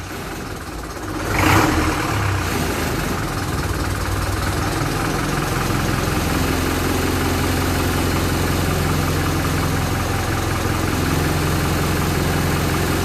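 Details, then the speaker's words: Land Rover Series 3 2¼ diesel, first start after engine rebuild, hard to start: hard, uneven, knocking clatter at a fast idle; owner thinks injection pump timing is a little advanced and plans to adjust it. "Well, we're running. We're not running for too long. I think the pump time is a little advanced."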